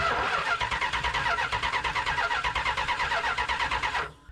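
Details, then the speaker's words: Old Mopar muscle car with a battery about 11 years old, spark present, one carburetor jet squirting and the other side without fuel: starter spins steadily at about three compression beats a second but never fires; crank no start, stale fuel suspected. "one jet is squirting this side is not got fuel we got spark sounds like we got compression why don't we have an engine that runs"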